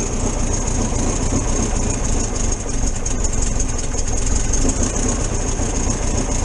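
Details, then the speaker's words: 1973 VW T2 camper warming up on choke after carburettor jets were unblocked and adjusted: steady, even low chuffing idle with no knocks or misses. Normal warm-up idle; idle and mixture to be adjusted once warm. "i'll let it warm up a bit and then we'll see how we go on"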